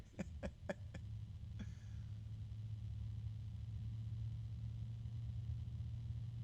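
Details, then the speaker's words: Lepa Vortex LP-VX1 14P PC fan on test: faint, steady low hum under a quiet airflow hiss after handling clicks. Mild tonal sound; owner first suspects harmonic resonance, then thinks it comes from the fan itself. Origin unclear. "I'm hearing a little bit of uh a tone like a harmonic resonance possibly there it is again I can hear it again now it's it's very mild but it's definitely there"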